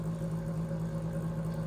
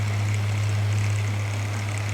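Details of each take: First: Stiff floor fan before cleaning, freed slightly by spinning by hand: steady low electrical hum with a faint rough undertone and no clean spin-up; motor sounds dragging and needs a lot of work. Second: Floor fan after cleaning, moving more freely: steady low hum with an even blade whoosh, smooth and unchanging until switched off; runs normally, though the owner may still oil the motor.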